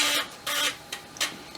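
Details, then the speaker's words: Amiga 1200 floppy drive after freeing the seized track motor, head placed off track one, computer powered on to return it; short bursts of rapid clicking and buzzing about every half second as the head steps; seeking normally. "first thing it should do is try to move it back to track one because it'll sense it's not in the tracking position let's keep an eye on that real close while i turn it on there um well that worked"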